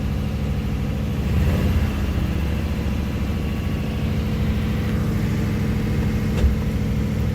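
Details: 1956 Ford Fairlane Victoria 292 V8 with Ford-O-Matic, partially restored, idles with a steady, even low rumble and no knocks or misses as the choke comes off during warm-up; normal idle.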